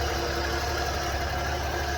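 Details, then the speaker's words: 1991 Ford F-150, good fuel pressure, compression, spark and timing, just started with starting fluid, coolant to be added; steady even low rumble at idle, no knocks or misses, idling smoothly and healthy. "we got it running and dad got it running all we did was uh really just crank it my dad spread some starting fluid in there and it started to run"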